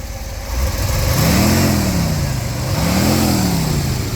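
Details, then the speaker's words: 1959 Ford Thunderbird 352 V8, engine parts replaced in 2015: two clean throttle blips, rising smoothly and falling back to an even idle with no knocks or misses; sounds healthy. "Give that a rev again. Man, I love that sound. Beautiful. 352 V8."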